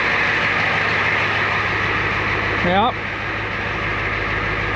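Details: 1994 Ford F350 diesel ex-fire truck, previously non-running from a fuel issue, just restarted: steady diesel clatter at idle, even drone, brief chirp midway, no misses or knocks; idling healthy.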